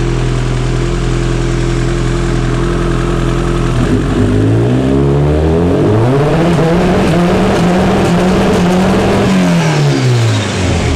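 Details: Kawasaki Ninja after fitting a Sprint air filter, fresh plugs, a Power Commander and a quick shifter, before a dyno tune: pitch climbs, drops sharply with a brief break and climbs again, with no popping. Clean clutchless quick-shifter upshifts.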